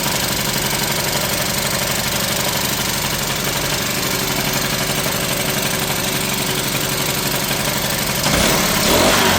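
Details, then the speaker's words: Troy-Bilt backpack blower after Seafoam was added, started after priming the bulb, choke off: it idles with an uneven, lumpy beat and a brief blip, running rough. The owner thinks running it may straighten it out, distrusts the filter, and has a new carburetor ordered. "I don't know that she's running perfect, but I bet if we took it out and ran it for a while, that it would straighten up."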